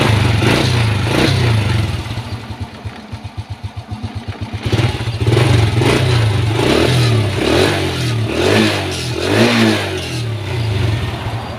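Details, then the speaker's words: Honda Wave S single-cylinder motorcycle, after repair for head knocking and white smoke: piston replaced, cylinder bored, new cam and rocker arms; engine idles with a steady low thump and revs cleanly, no valve tapping. "ตอนนี้ก็เปลี่ยนลูกสูบไปแล้วคว้านลูกสูบใหม่แล้วก็เปลี่ยนแคมเปลี่ยนตัวกดวาใหม่ทีนี้ก็จะมาสตาร์ทให้ทุกคนมาฟังเสียงกัน"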